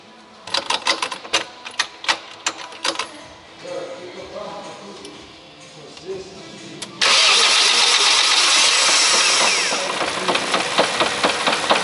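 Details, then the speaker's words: 1998 Honda CR-V 2.0 petrol, 466,000 km, slightly warm: cranking clicks, then on start a deep knock from low in the engine rides the idle and stops once the oil pressure light goes out; worn main bearing, found on the third journal. "Проблемка в автомобіля стук у двигуні і стук десь глибоко. Похоже, десь знизу."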